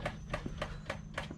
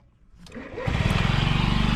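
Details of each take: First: 2009 Honda Metropolitan scooter fuel pump making loud, sharp clicks, about three and a half a second, even while the engine runs; the failing pump was replaced with OEM pump and filter. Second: 2009 Honda Metropolitan scooter after replacing the clicking fuel pump and fuel filter with OEM parts: fires up quickly and settles into an even idle, about three beats a second, no stumbles or clicking; normal idle.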